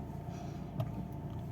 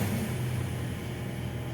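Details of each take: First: Fiat Uno Vivace after topping up low power steering fluid: only low steady engine rumble, no whine or groan from pump, steering softer; power steering sounds normal. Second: Fiat Uno Vivace at idle, steering wheel turned side to side: low whine rises and holds; power steering fluid well below level, pump starved of fluid.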